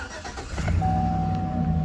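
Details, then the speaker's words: 2013 GMC Sierra after power steering line replacement, running Pennzoil Ultra Platinum: quick start, then smooth, quiet low idle with a faint steady tone; healthy, owner says much quieter with this oil. "How much quieter is it with this, the Pennzoil Ultra Platinum in this thing? So much quieter."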